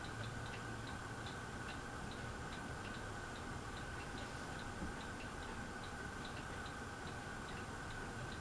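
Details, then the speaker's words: Harbor Breeze Aristocrat ceiling fan on medium speed: light regular ticking about three times a second over soft steady hum; clicking from the fan, cause unknown. "hear the clicking a little bit."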